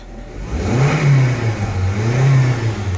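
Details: 2010 Honda Civic, previously crank-no-start, fixed after a relay with no ground was found and wired: engine catches and rises smoothly through two clean revs and settles back, no misfire or knock.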